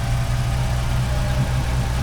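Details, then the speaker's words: MerCruiser Bravo 3 boat engine idling evenly with no knocks, misses or squeals after power steering cylinder (actuator) replacement; started so the power steering pump circulates oil before bleeding and checking fluid; normal idle. "All that's left now is to start the system, so the power steering pump begins circulating the oil. Let's fire it up. The pump is running."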